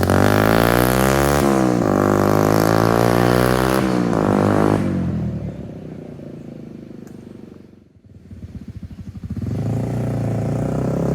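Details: 2002 Suzuki GZ250 single, straight-pipe exhaust, after carburetor needle shim adjustment that cured a throttle dead zone: barks up cleanly through several blips, then settles to a steady even idle with no stumble.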